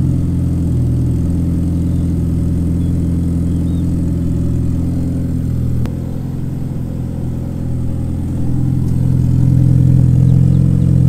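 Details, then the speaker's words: Mitsubishi Lancer Evo 5 rebuilt 2.37 stroker 4G63T, first start, cold, warming up: even, steady idle with smooth low drone climbing cleanly on a light rev; healthy and quiet. "so there we go I thought I've actually can hear me but the engines running you didn't hear our Quay is running absolutely mint so just gonna warm it out now let get off a cold start"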